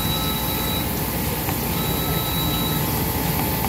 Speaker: so it sounds like it's getting ready to go into harvest now